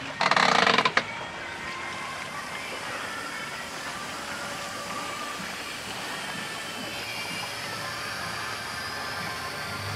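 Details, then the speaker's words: Pool filter being refilled during spring pool opening after the drain plug was refitted: a short loud rush, then a steady even hiss of trapped air venting from the relief valve as the filter fills with water, before the pump is turned on. "hear air escaping as the filter is actually filling up with water now so we'll let that settle for a minute and then we'll come back and turn it on"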